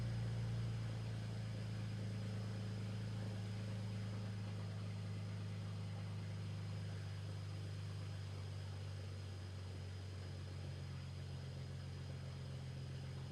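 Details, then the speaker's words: BMW cold idle after new, properly gapped spark plugs: steady low drone with an uneven loping pulse; cylinder one misfire persists, ruling out plugs after a coil swap; injectors next. "Unfortunately, the cylinder one misfire is still present. So, that means the spark plugs were not the issue we were dealing with."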